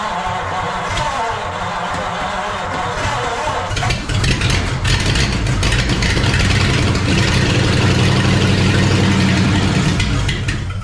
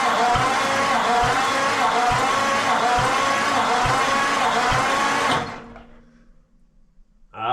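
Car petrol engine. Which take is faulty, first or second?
second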